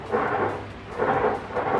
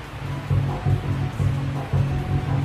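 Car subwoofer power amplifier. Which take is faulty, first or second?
first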